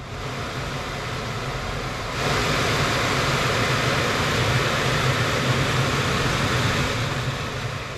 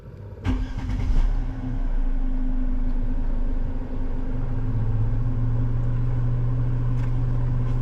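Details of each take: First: Crash-damaged Mercedes-Benz C200 under repair: blower runs with steady rushing air that steps up louder and stays even, no rattle or scraping, after a loose part and leaves were removed from the housing. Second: Crash-damaged, auction-bought Mercedes-Benz C200, blower cover removed: after start-up a steady droning hum over the idle; excessive blower motor noise, motor to be removed; cabin filter very dirty.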